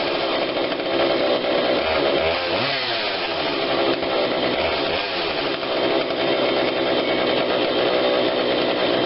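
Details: Husqvarna 142 40cc chainsaw, warmed up, after carb tweak with adjuster tool (low adjustment seemingly not needed): high steady buzzing rev held evenly without hunting or stumbling; normal running, runs really good.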